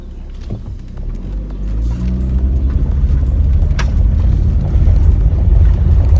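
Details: 2013 Chevrolet Aveo road test after replacing the noisy rear double wheel bearings: smooth low road rumble builds with speed through turns and braking, with no hum, growl or squeal from the rear wheels. The new bearings sound quiet and healthy.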